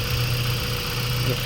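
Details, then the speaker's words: Mazda 3 1.6 four-cylinder after a Japan-surplus cylinder head replaced one with low compression on cylinders 2 and 3 that caused heavy vibration: smooth, even low idle hum, no misfire stumble or shake; vibration gone, normal idle. "medyo ginabi na tayo kaya ayan mga boss wala na yung vibration"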